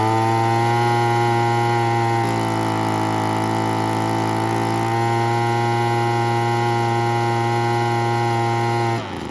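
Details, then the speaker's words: 1980s/90s McCulloch two-stroke gas leaf blower (Zama C1U-M21B carb), rebuilt with a carb kit and new fuel and air filters, cold morning, old oil burning off: steady, buzzy, chainsaw-like note rises cleanly when revved and settles back. "But yeah, almost sounds like a chainsaw. It's pretty cool."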